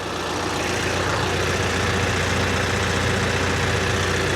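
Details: Kioti RX7320 tractor diesel idling steadily just after an oil and filter change, with no leaks found: low, even rumble with no knocks or misfires; normal idle.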